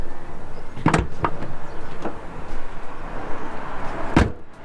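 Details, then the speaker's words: NA Mazda MX-5 Miata door after fixing bent front wing that rubbed it, fender bolt loosened and realigned: only clean latch clicks and solid door thud over low engine hum, no rubbing or scraping; door now clears the fender. "scraping which means why it worked and you can see it looks well aligned"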